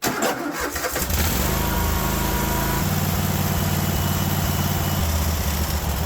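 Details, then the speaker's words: Kohler 24 hp SV725 engine on a Cub Cadet 1050 Hydro, hot: it catches with rough, uneven firing and backfire pops, then runs ragged and lumpy. Possibly no idle circuit. "as it fires backwards okay I I don't think we have an idle circuit at all"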